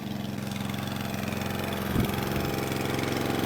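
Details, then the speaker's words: Atco Balmoral cylinder mower, shed find not run in 9 years, after carburettor main jet and emulsion tube cleaning, before carb tuning: small single-cylinder engine chugs at a steady, even idle with a brief blip, no misses or knocks; running okay. "so I just let it run just for two or three minutes we'll also try and find a little tiny flat head driver it sounds like it's running okay at the moment"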